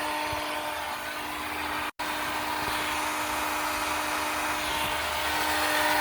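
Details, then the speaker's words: 2019 Honda Civic Sport CVT with starter issues: a steady high whine holds at one pitch over the running engine after start. The owner thinks the starter stays engaged, not the fan; a burning smell followed. Cause suspected, not confirmed. "Oh, that ain't the fan. That is something else. I think that's the starter. Oh, that's bad."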